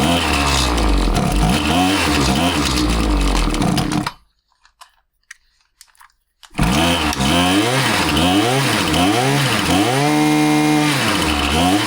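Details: Husqvarna 525PT5S two-stroke pole saw after a carb refresh, with both mixture screws set a further quarter turn rich: revs rise and sag in repeated swells instead of climbing cleanly on throttle. It runs fine on top but bogs at low speed and ignores low-speed adjustment; cause unconfirmed, possibly not the carb.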